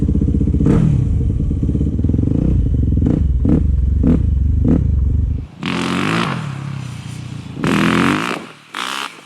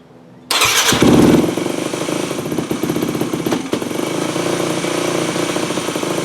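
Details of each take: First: 2008 Yamaha WR250F after carburetor rebuild, needle back in 6th clip: the single-cylinder revs cleanly and snaps up on each blip without bogging or jerkiness, with wind noise while riding; throttle response is healthy. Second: 2008 Yamaha WR250F, pilot jet 45, fuel screw 4 turns out: fast, unsteady high idle that stumbles, still very lean; pulling hot start lever makes no difference, suspected hot start plunger stuck open leaking air.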